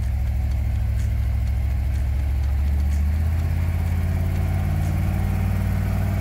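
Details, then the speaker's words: Ford F-100 carbureted truck engine after carburetor fix and oil change, driving: steady even low engine note, no stumble or hunting, snappier off throttle with smoother idle; normal running. "it's ready snappier runs smoother idle's nicer it's really a big improvement from where it was"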